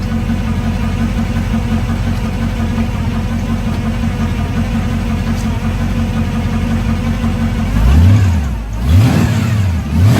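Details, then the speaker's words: Carbureted Camaro V8 with electric fuel pump, owner asks whether it's cammed, before fitting an adjustable throttle and kickdown cable bracket: deep, steady idle rumble, then quick throttle blips rising and falling cleanly; strong, healthy revving with no knocks or misses. "Alright, so now that you've heard this beast and all of its madly horsepower, we're going to be putting on this little adjustable bracket so I can have the power that you guys hear at the pedal, the pass."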